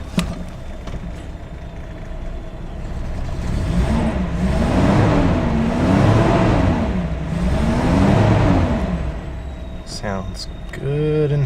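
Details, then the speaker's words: Carbureted (Weber) inline-six just started cold on a chilly night with choke partly on: steady, even idle around 650 rpm with a slight slow rise and fall in tone; running smooth and healthy. "so here we're sitting here idling right at about 650 or it should"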